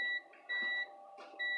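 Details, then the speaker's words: PS2 slim with grinding noises, limit switch tested with a multimeter on continuity: a steady high meter tone each time the switch is pressed, twice, cutting out on release. The switch works, but the console is not registering it. "so it is working okay so it's not registering"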